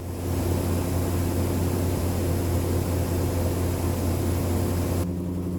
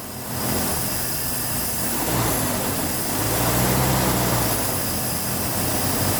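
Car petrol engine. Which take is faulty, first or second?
second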